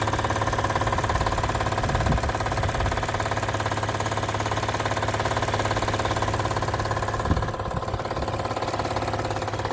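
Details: Acura TL at idle: loud, even rhythmic clatter about three per second over the engine note, with no loss of performance; source of the noise not pinned down.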